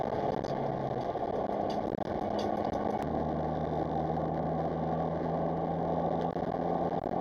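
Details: In-cabin sound on a gentle drive over Snake Pass after repairs that replaced badly corroded coil packs: a smooth, steady engine drone with even tone and no stumbles or dropouts, running cleanly without misfire.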